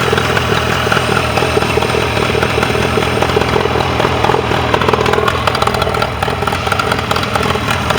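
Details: Mercury 40HP outboard on a Tracker Pro Crappie 175, earlier no-start was user error: steady busy patter and even pulse, no misses or knocks; healthy, ticking over normally.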